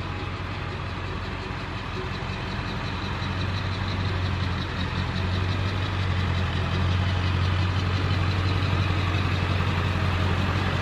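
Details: Dually diesel truck idling on its stock muffler before straight-piping; it had been running well but still smoked a little. Steady, even diesel clatter with a deep low rumble, no misses or knocks: a normal idle.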